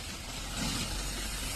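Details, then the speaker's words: 2019 Volkswagen Polo 1.2 L with dual-clutch gearbox, stalled on road, won't move in D with spanner light blinking: harsh gritty grinding at idle that never settles; mechanic suspects the multi (dual) clutch has broken, codes P77B/P175E/P176F. "शायद इसका देख सकते हैं multi colour टूट गया है इस बार। बहुत बुरा आवाज कर रहा है।"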